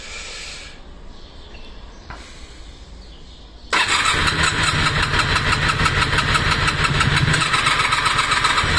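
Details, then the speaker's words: Honda VFR400R NC30 bought as a non-starter, with its battery previously left switched on, cranked with and without choke. It catches and runs loud and uneven with a lumpy beat; suspected to be firing on one cylinder at best, and a spark plug in bad condition was found. "Es que yo creo que no va ni un cilindro, ¿eh? Uno, justo."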